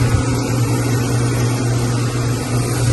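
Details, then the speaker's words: Ice machine after repair with new float switch, compressor just started and getting cold: steady low hum, even drone, no whine or rattle; much quieter than before, when the pump whined badly; normal running. "getting cold. And it's much quieter. Yeah, the pump was whining like crazy before."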